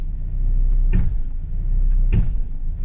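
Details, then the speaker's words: Mazda Miata rear differential, clutch let out aggressively: two heavy metallic clunks over engine rumble as load reverses; backlash from worn gear teeth and loose pinion flange, metallic-sheened fluid leaking from rear end. "oh yeah that big metallic clang some sort of backlash in the system either worn out gear teeth basically leaving play and gives you that clunk there it is"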